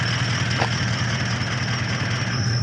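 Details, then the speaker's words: Toyota Landcruiser on a Victorian High Country trip, engine running after pulling over: steady high squeal with harsh metal-on-metal grinding over idle; suspected collapsed idler pulley, burning rubber smell, belt laboring on start; cause not confirmed. "Uh looks like about an idler pulley collapse. Um literally just did it down the road there. And so we pulled over, had a look at it. This is what we're looking at. Maybe you can see Maybe not. But yeah, basically sounds like metal on metal grinding."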